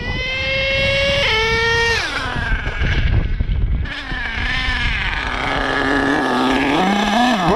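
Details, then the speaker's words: HPI Savage XL K5.9 nitro RC truck on Bones Brew 30% nitro 10% oil fuel, carb restrictor removed, warm after richening about an eighth turn from lean: high-pitched buzzing revs rise and fall smoothly with no lean hesitation or bog; normal running. "well that sounded good no weird throttle spots there in the range you see you guys when it's lean they'll have that little hesitation second third running great"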